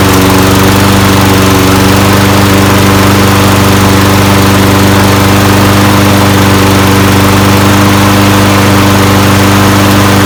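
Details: Free roadside Toro Recycler 22in mower with a Briggs & Stratton Quantum 190cc ReadyStart engine, after carb cleaner was sprayed in: a loud, even single-cylinder drone with no misses, surging or knocks; running normally.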